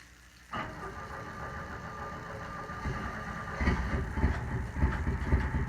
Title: Omc2.5L 4 slender first start after replacing water pump